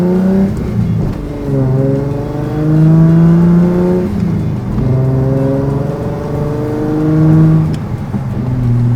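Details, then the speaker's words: Datsun 280Z race car on a road test after fixes, warm at 165° with 90° air temperature and not overheating: engine pulls cleanly through rising and falling revs with an even tone and no misses, knocks or rattles; running healthy. "That sounds pretty good. That's pretty good. I'd say that's like a win in my opinion."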